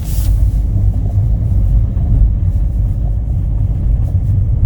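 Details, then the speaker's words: Kia Ray with 338,000 km in winter, cold engine: a heavy, loud low rumble swells whenever the accelerator is pressed while driving and fades once the engine warms. The owner fears it may stall; cause unknown. "우리도 조십 주행 중에도 엑셀만 밟으면 소리가 꽤 크게 나고 멈출 거 같아요 차가 조금 달궈지면 그래도 소리가 안 들리게 [음악] [음악] 됩니다"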